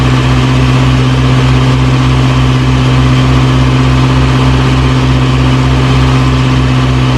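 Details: 1937 Morris 8, 918cc pre-war engine, first run during recommissioning, no cooling water in: loud, even idle, steady low pulse about three beats a second, no knocking; burning off oil smoke.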